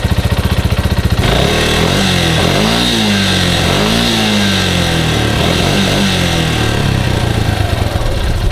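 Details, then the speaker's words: Yamaha Grizzly 125 single-cylinder ATV unrun for over six months, running on car oil: putters and revs up and settles back several times, picking up cleanly with no knock or misfire; sounds healthy. "this thing sounds good just because i haven't ridden it in a while but it sounds sounds way better than what i remember"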